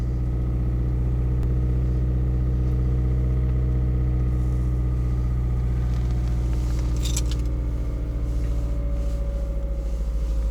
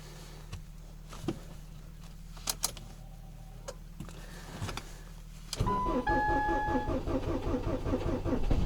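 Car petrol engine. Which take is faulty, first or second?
second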